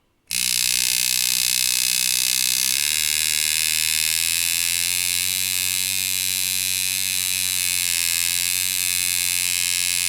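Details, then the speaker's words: Rotary tattoo machine (Dan Kubin Sidewinder V3R vs Poseidon V7 comparison) raised from 4 to 5 volts, usually run around 5.2–5.3: a steady high buzz that steps up and smooths out; the motor works more ideally above 4.5 V and runs healthy. "So you can hear it changed a little bit in sound. That's just because the motor is working a little bit more ideal in that range."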